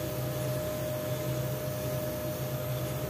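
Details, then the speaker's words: Bosch electric drill that kept cutting in and out, after repair; even, steady motor whine with no dropouts while the power cord is flexed back and forth, showing the repair succeeded. "Oke kita lekok-lekokkan kabelnya tidak juga masalah berarti ini perbaikan kita berhasil ya teman-teman"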